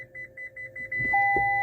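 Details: Toyota rear parking sensors reversing gently toward a rubber cone: high beeps quicken then merge into a steady two-tone alarm before the car automatically applies the brakes; normal operation.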